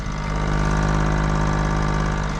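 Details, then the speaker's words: Kei van jump-started with a booster, idling just after a cold start, possibly a fuel-injected twin cam (owner unsure). A low, even burble with no misses or knocks; it idles normally. "doesn't have an RPM gauge so we can't see where it's idling at but it's definitely on a cold start"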